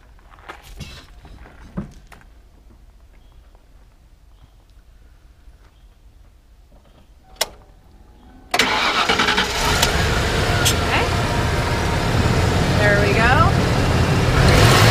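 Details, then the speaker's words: 1994 Ford F150 XLT, 89k miles, one owner, clean engine bay with recently replaced bushings: starter clicks, engine catches and settles into an even idle with a steady rev; starts clean, runs smoothly, A/C compressor clicking on and off. "so we're gonna fire it up so you can hear it run and then also hear the ac compressor"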